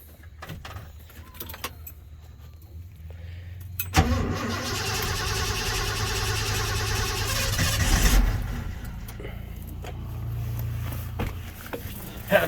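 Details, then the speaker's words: Truck, starter just replaced, not started in two to three weeks, low battery: steady rhythmic cranking about four seconds before it catches into idle; it floods, hard starting. "started in like two weeks three weeks something like that foreign it floods [Music] and the battery's low cranks faster"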